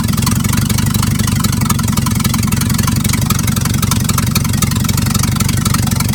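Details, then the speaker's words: 1950s Dodge dump truck, inline six, run after sitting 30-40 years, wires used as plug wires: loud raw uneven chuffing at steady low idle, exhaust pipe rusted off at the exhaust manifold. "it still runs good a little loud because right down there it's an exhaust manifold down there the exhaust pops rusted off"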